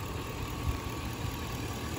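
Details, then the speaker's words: 2002 GMC Yukon XL 5.3 Vortec V8, original engine and transmission, about 315,000 miles, after throttle body cleaning: low even idle steady at exactly 500 rpm, no dips or stumbles, running like a clock. "literally running like a clock get the rolex in there"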